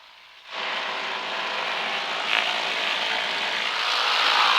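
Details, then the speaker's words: 1959 Cessna 310C twin run-up, both engines brought up (about 1700 rpm for generators), oil pressure and temperatures rising: smooth, steady roar, no miss or surging; normal. "okay left mag left engine [Applause] got a 50 rpm drop that's good right mag left engine looking at the tachometer right here 50 rpm drop"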